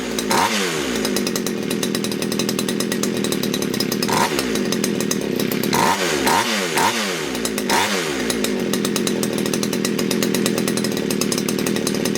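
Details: Poulan Wood Shark chainsaw being diagnosed for a no-start, low jet leaned slightly: high racing idle that sags and surges and won't settle, likely rich; it then floods again, and the owner suspects a sticky needle and seat or a needed plug.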